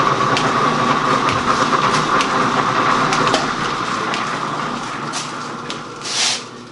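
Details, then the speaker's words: Gould & Eberhardt 24-inch heavy-duty shaper, post-1912 (guessed 1912–1930), restarted with the dog pin engaging the feed gear: steady mechanical clatter with a ringing tone near 1 kHz and regular ticks about three per second; normal running with power feed. "And it's got a little pin here, a little dog, that as it's running, this thing's articulating, and this little dog picks up the gear. So we're going to turn it back on, and I'm going to set you up and watch it feed."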